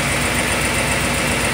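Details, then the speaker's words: Engine idling, heard through an electronic stethoscope probe at the exhaust header: rapid, even ticking with a hissy edge; exhaust leak at the header, possibly near cylinder 3. "it sounds like it's coming from the header right here"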